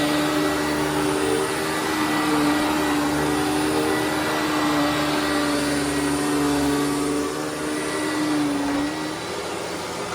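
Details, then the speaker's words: Hoover WindTunnel WidePath upright vacuum after brush-roll bearing replacement: smooth, even mid-pitched motor whine with no grinding or rasp. The old bad bearing had ground and worn. Brush roll now runs normally. "yep definitely a lot better than it was before because the bearing was so screwed up it did a lot of grinding and wearing and all that kind of stuff"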